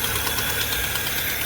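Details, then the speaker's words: Fiat Palio Fire 1.0 8v at idle: sharp, fast ticking over a steady idle that sounds like engine knock; caused by a burnt exhaust manifold gasket leaking, confirmed with soapy water bubbling at the manifold. "E aí liguei uma flor olha o barulho ele bate como estivesse batendo tô batendo o motor do carro"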